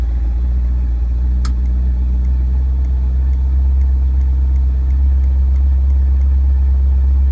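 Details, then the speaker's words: Ford 460 V8 with newly fitted FiTech fuel injection, cold start after the inline pump primes: a deep, even idle with a steady low rumble and no knocks or misses. Normal cold idle. "can say it's not very warm at all"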